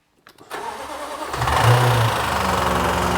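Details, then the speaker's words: Flood-damaged 2018 Jaguar F-Type SVR, 5.0 supercharged: the engine runs rough with an uneven heavy knock at about three beats a second, loudest on the passenger-side bank. Owner suspects one or two cylinders there, possibly a slightly bent conrod, not confirmed. "oh it sounds awful [Applause] this side sounds okay it's this side this this bank"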